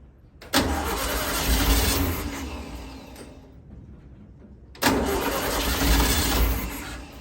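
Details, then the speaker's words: 1964 VW Beetle with the motor just installed, cranking with a starter that came with the car: two long bursts of free cranking that never catch, no fuel getting through; the mechanical fuel pump is faulty. "doesn't sound too happy in there does it and still no gas had some issues with this fuel pump"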